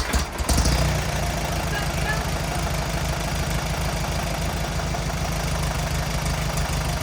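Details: 1950s Allis Chalmers CA tractor, after freeing 20+ year seized engine and replacing rotor and condenser: quick crank, catches easily and settles into steady, even low thump at idle; running normally.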